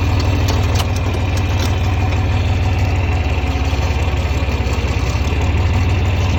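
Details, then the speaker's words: 1961 John Deere 4010 tractor with 7700 combine engine swapped in 2015, starts easily: steady, evenly paced diesel clatter at idle with firm low thump, no stumbles or odd knocks; normal idle. "So I guess we'll fire it up so you can see how she runs. Pretty nice starting tractor."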